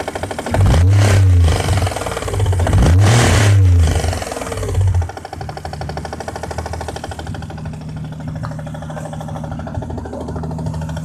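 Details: Toyota 1JZ-GTE VVT-i, warm, at idle after a couple of throttle blips: a faint, irregular knock under the steady rumble. Cause unclear.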